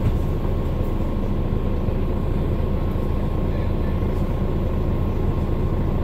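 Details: Mercedes-Benz Citaro O530 LE bus, OM457hLA 12-litre Euro 5 diesel (299 hp), ZF Ecolife 6AP1700B automatic with overdrive, 12,450 kg: a steady, thin mid-pitched whine over low drive rumble while moving; the fleet's only Citaro with a noisy Ecolife gearbox.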